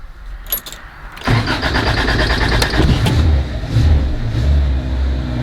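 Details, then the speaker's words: 1979 Honda Civic, carbureted, cold engine: a few cranking clatters, then it catches and settles into an even, slightly lumpy cold idle; a normal cold start. "Alright guys, we're gonna fire it up. So she purrs like a little kitten there."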